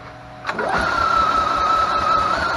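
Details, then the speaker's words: EZGO TXT golf cart, previously sunk in a lake, cranking after a replacement starter-generator was installed and belt-tensioned: a click, then smooth steady whirring with clean even pitch, no grinding or bearing rumble, quiet as a mouse; normal. "look at that Qui as a mouse"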